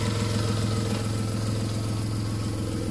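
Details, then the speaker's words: Repaired VW Polo alternator, previously not charging, fixed rather than replaced; running with an even idle hum, no rattle or whine, and now charging; sounds healthy. "Ne, klingt gut. Klappert nicht."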